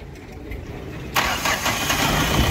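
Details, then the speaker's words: Mahindra Bolero Maxi Truck diesel with about 300,000 km, after an overhaul for oil burning, fully warm: a short crank, an instant catch and an even, clean idle with no back pressure or blow-by; warm start is fine. "ਲਓ ਜੀ starting ਵੀ ਬਿਲਕੁਲ okay ਆ ਗਰਮ ਹੋ ਗਏ ਤੇ ਜਿਹੜੀ pack compressor ਉਹ ਵੀ ਬਿਲਕੁਲ ਓਕੇ ਆ"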